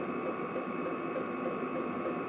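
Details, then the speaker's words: Vevor 8 kW diesel air heater running in a garage, set to about 25°C at medium output; steady whirring fan hum, fairly loud, with a light regular fuel pump tick about three per second; normal fan noise. "donc le truc qui tourne alors c'est un peu bruyant quand même c'est pas un truc silencieux on entend bien la ventilation"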